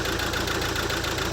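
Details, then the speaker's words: Mercedes A180 CDI with a replacement engine at only 20,000 miles, left sitting about two years, at idle: uneven lumpy chugging with a rhythmic stumble; misfire from cylinder three, code injector open circuit. "a mercedes with a rental engine in with only 20 000 mile on misfiring because there's an injector going off as you can see a180 cdi it's chugging away as you can hear"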